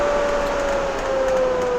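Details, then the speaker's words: Swift Conqueror 480 caravan roof extractor fan, roof vent opened, running on extract and reversible to blow cool air in: steady, even whirr at one constant pitch with no rubbing, ticking or wobble; running normally. "on a warm day we can also blow cool air into the caravan and if we just let that stop and then reverse that that will then start blowing cool air into the caravan"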